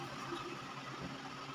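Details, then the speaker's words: Sony automatic washing machine on spin dry: the motor gives only a steady low electrical hum and barely turns, in both wash and spin. "ganyan lang siya ayan oh kung papansinin niyo Mahirap siyang umikot umuugong lang yan ang sira niyan"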